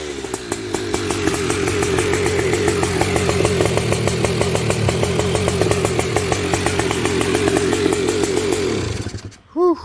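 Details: High-compression two-stroke with HPI ignition, 178 main jet, air screw 1.5 turns out, VR8 EIX plug gapped 0.018 in: crisp fast crackle at steady high idle, even firing, slightly rich but running well.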